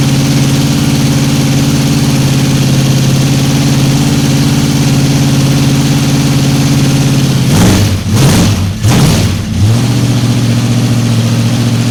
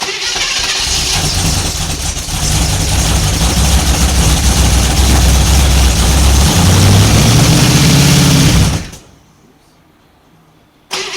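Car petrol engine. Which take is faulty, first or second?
second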